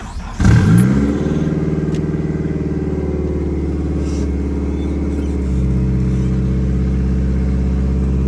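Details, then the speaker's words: Nissan S13 with SR20 engine, chasing a misfire and breakup, after fitting fresh spark plugs and reassembling: starts and settles into a steady, smooth cold-start idle with no stumbles or skips; normal cold idle. "So far sounds pretty smooth now. All right, I guess we'll see after cold start ends."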